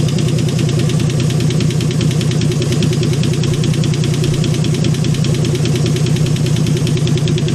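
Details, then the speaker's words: AMC 199 engine in a 1951 Hudson Hornet after head rebuild, idling with oil pressure present and oil leaking from a plate: fast, even ticking over steady idle, keeps pace with engine speed; owner suspects a lifter; not confirmed. "It's maybe the lifters. This one here's making noise."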